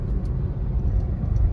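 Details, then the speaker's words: Hyundai Venue turbo after fixing a misfire traced to weak spark plugs: deep smooth rumble under way with no stutter or jerk; engine firing cleanly, turbo boost back, pickup fine. "गाड़ी एकदम बिल्कुल perfect है अभी लग रहा है कि हा सच में टर्बो गाड़ी चला रहे हैं टर्बो का बूस्ट मिल रहा है गाड़ी में"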